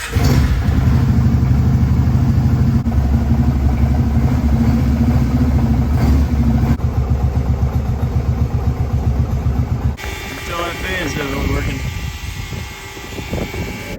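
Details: 2002 Kawasaki Prairie 650 4x4 ATV V-twin, run with the radiator cap open to purge air after a coolant fill: steady, even idle with a low rhythmic beat, no knocks, and the cooling fan running; healthy.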